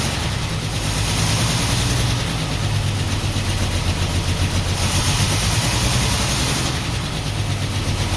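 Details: 1949 Ford F1 with owner-rebuilt engine, first run after sitting 20 years, choke partly on, fuel pump on, no working water pump: uneven, stumbling low idle with a lumpy, irregular beat; owner says it is missing on one cylinder.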